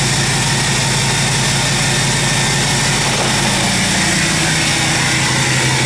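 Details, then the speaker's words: 2017 Ford F350 diesel during a rebuild, coolant just topped off, before its first drive: a steady, even diesel idle with a smooth low drone and no knocks or misses; sounds healthy. "Sounds like a 6.7."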